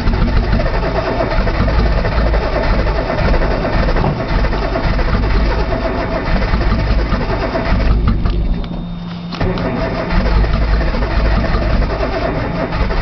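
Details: Nissan Z, cold outside, cold start valve found unplugged, solenoid checked, brake cleaner used as starting fluid: long steady low churning crank, never firing or catching; cranks but will not start.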